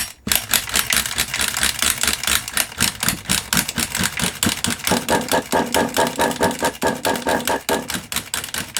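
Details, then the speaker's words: Kyosho MP9 nitro RC engine, first start after 2 years, glow starters tested good: rapid rattly cranking bursts, about two a second, never firing; owner suspects no fuel reaching engine; cranks but won't start. "I don't think we're getting any fuel, you know. I don't think we're getting any fuelage, personally."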